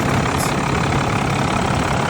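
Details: 5.9 Cummins diesel in a Ford water truck, previously crank no start from a failed lift pump, after lift pump replacement: steady, even diesel rumble at idle with no misses, knocks or surging. A healthy idle with fuel supply restored.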